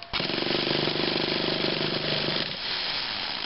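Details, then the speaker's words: Traxxas RC car engine that has been sitting a while: steady, buzzy starter whir spins the small engine for about two seconds, but it never catches. Owner suspects a slipping one-way bearing needing replacement. Starter cranking, engine not firing. "oh there it's spun a bit yeah I think it needs a new oneway barar it um seems to be slipping or [Music] something"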